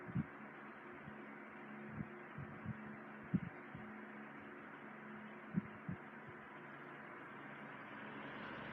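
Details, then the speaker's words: 1980s Sanyo 9-inch oscillating fan, model EF709R, serviced with motor oiled and oscillator greased, on low speed: soft steady hum under faint airflow hiss, few stray bumps; runs very quietly and smoothly. "Alright, so we'll start it up on low speed. It runs really well. It's very quiet and produces a very nice breeze on low. You can hardly hear it running."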